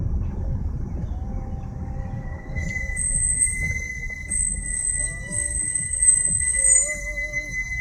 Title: Brake squeal